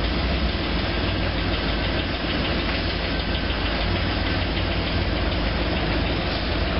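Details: Corvette C5 Z06 V8 at idle: a hollow, even knocking runs under the exhaust note. This is piston slap.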